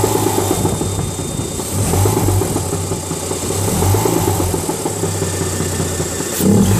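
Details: 2004 UK-spec Mazda RX-8, 231 PS manual, idling and being blipped: a nasty loose metallic rattle that swells with revs, which developed within a week of purchase. The owner suspects an SSV bearing or knock; unconfirmed.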